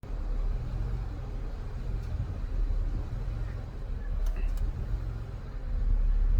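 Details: 2002 Ford Escape 3.0 V6, 217k miles, warm: deep uneven drone swelling and sagging as rpm hunts at idle, sometimes stalling, oil pressure light flickers on dips; IAC and throttle body cleaned, oil pressure sender replaced, problem persists.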